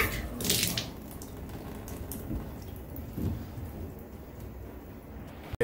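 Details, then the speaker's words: Busted Symmons valve behind wall: faint steady hiss with drips and trickling; leak stopped after closing integral stops, valve suspected cracked at bottom, valve to be replaced. "I can hear the valve hissing and there's water right here see it"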